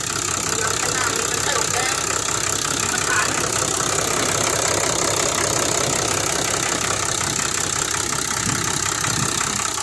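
Even, steady idle with a soft, uniform mechanical patter and no loud tapping; engine sounds quiet and settled.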